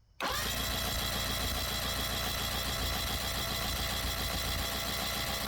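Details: 1984 Mercury 40hp two-stroke outboard on a Tracker boat, no-start with mouse-chewed wiring, cranked with plugs out for spark and compression testing: steady, even starter whir for about five seconds. Normal cranking; cylinder 1 reads 125.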